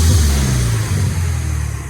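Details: Mini Cooper S revved after a new high pressure fuel pump fixed a crank-no-start; deep note falls smoothly from a blip to idle, no hesitation or stumble; fuel pressure rises with revs as commanded.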